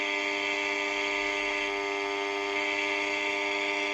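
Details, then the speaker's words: Unitra Eltra Alicja R-701 radio, reassembled and powered, on long wave: only a steady buzzing hum and no Warszawa 1 station; the long-wave band isn't working, cause not yet found, FM works: hum with no reception. "niestety nic poza buczeniem nie jesteśmy w stanie usłyszeć"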